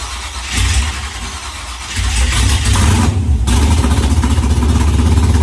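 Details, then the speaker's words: Pontiac Firebird first started after fuel lines were temporarily fitted, catching and revving unevenly with loud irregular pops and stumbles over a lumpy idle; rough running with frequent backfiring, cause not pinned down. "well guys that was it man the firebird runs it doesn't run great it was backfiring a lot but it runs nonetheless"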